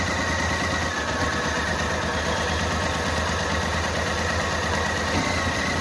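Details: Renault Kwid before cylinder head removal: uneven, stumbling idle with lumpy low beat; one cylinder not working properly, engine won't rev and shuts off, misfire.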